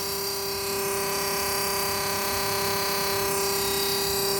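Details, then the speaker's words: Small fridge converted from 220V to a new 12V compressor, fitted with 20V fuse and cooling fan per instructions; cools well but runs with a loud steady whine and layered electrical hum; owner suspects base vibration or technician overfilling gas, cause unknown. "Foi colocado tudo direitinho, a instalação até o fusível, foi colocado o fusível de 20 V, foi colocado um cooler como orientado na na instalação, mas aí quando liga ele fica com esse barulho."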